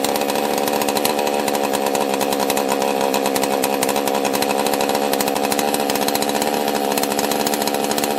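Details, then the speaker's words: Husqvarna 261 chainsaw being refurbished, carb found locked up, choke broken off, throttle stuck: high, rapid raspy buzzing at near-constant revs; erratic running, cause not yet found. "it's running really weird so i'm gonna try to let you decide if you can figure out the problem"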